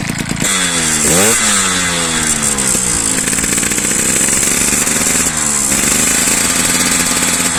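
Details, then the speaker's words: Piaggio Ciao moped with new Polini 65cc kit, revved on a stand with the air box fitted: clean buzzing two-stroke intake with no scraping; without the filter intake clacking and scraping appear. "Je vais te faire écouter en statique. Tu n'as pas de grattement."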